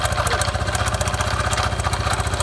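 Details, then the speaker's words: Honda Biz 125 (2013 or 2015) small single-cylinder engine, with oil leaking from the top. Sharp, rapid knocking at about ten per second over the engine beat; excessive connecting rod big-end play, and the rod needs replacing. "Olha a folga da biela por isso que tá com aquele barulho Então a gente vai ter que trocar essa biela"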